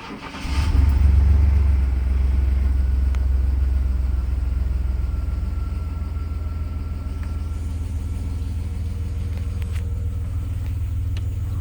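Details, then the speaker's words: 1995 GMC Jimmy/Sonoma 4.3L V6 after a tune-up: it cranks briefly, catches with a quick flare and settles into a smooth, proper idle. Before, it misfired on cold start and idled around 500 rpm. A small exhaust leak is still suspected. "like it works it's idling properly so far um when i was misfiring my cold start it was uh idling about 500 rpms so so far so good sounds sounds good"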